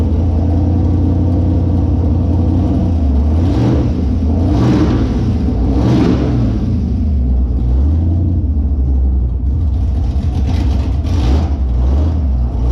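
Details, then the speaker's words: Holden Monaro engine on first start after reassembly with a new Crower cam (217/226, 114), open headers, deadhead fuel system; fired instantly on first key turn; loud, deep, choppy idle with quick throttle blips, no tapping or missing; normal lumpy cammed idle. "I thought it would have been cranking for a little bit, build fuel pressure, these deadhead systems, you know, get the air and stuff out, but just instantly, just fired and it just bam, it was just loud"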